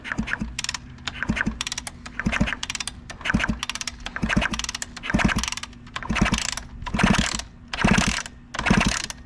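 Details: 2003 Kawasaki KX60 two-stroke mini bike during teardown, NGK BR9ES plug: even, strong puffs from each kick about once per second, no knocks or scraping; normal kick-over, compression sounds healthy.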